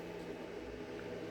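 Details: Bluetti AC200MAX solar generator just plugged in and charging, 480 W input at 40% charge; its internal cooling fan gives a soft, even hum with no rattle, scrape or surging, which is normal.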